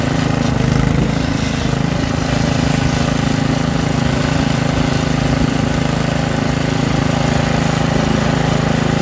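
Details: Troy-Bilt rear-tine rototiller, small single-cylinder engine, after carburetor cleaning and magneto cleaning restored lost spark and carb adjustment: runs steady and even at a fast idle with no misses or knocks; sounds healthy.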